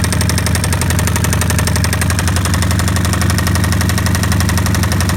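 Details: 2005 Kawasaki Vulcan 1500 after riding without oil then overfilling: loud heavy knock about three per second at idle from lower engine case; cause unconfirmed.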